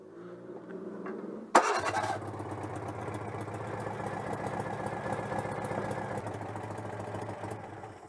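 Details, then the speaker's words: Citroën 2CV AZLP6 flat-twin after installing a centrifugal clutch: short, rattly old-style electric starter whirr (the car also has a pull starter), then the engine catches and runs evenly. Normal starter cranking. "ça fait un bruit de démarreur à l'ancienne donc en plus du démarreur à tirette"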